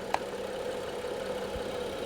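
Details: 2015 BMW 640i idling while voltage is measured at the jump-start points: a light click, then a low, smooth, steady hum. Reading 14.29–14.30 V shows the alternator charging fine; intermittent no-start was traced to a defective battery.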